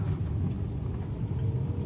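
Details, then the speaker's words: Used 2015 Toyota Avanza E manual, about 88,000 km, test drive over rough road: steady deep road rumble with no knocks or clunks; rear suspension sounds tight and healthy, normal. "disetel juga enggak ada gluduk gluduk Hai gila mobil ini Kondisinya masih sangat bagus sekali masih sangat layak pakai"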